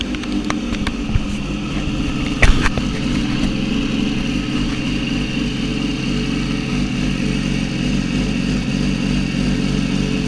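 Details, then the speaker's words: Yamaha R6 (2006-16) after refitting the left stator cover with new gasket: engine catches and settles into steady even idle, no grinding or starter rattle. Normal idle. "After all that, your R six should sound like normal whenever you start it."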